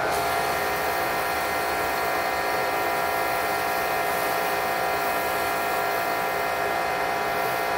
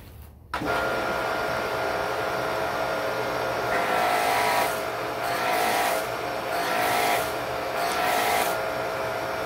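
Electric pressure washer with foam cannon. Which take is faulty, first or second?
second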